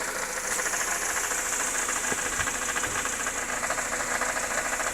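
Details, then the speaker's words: Mercedes C180 automatic. Steady idle with a fast, light metallic rattle ticking over the hiss, not tied to the engine's beat; suspected to be a loose heat shield or other item rather than the engine itself, unconfirmed. "rattle from the engine not quite sure what that will be i don't think it's the actual engine itself sounds like a either a heat shield or some other item just rattling about but it's not devastational"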